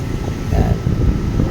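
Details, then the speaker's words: Yamaha NMAX V2 scooter, 4 years old, after repair: rear drive runs with low even rumble, no knocking, grinding or whine; noise was a loose gear fixed at machine shop, torque drive bearing fine. "Oh ayos na goods na Nawala na yung ingay tahimik na mga paps"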